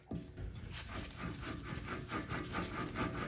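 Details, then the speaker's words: Worn BMW F-series xDrive front wheel bearing/hub assembly, axle pushed aside, hub turned by hand: rough gritty grinding scrape pulsing about twice a second; bearing totally shot, being replaced. "you can hear that this bearing totally shot"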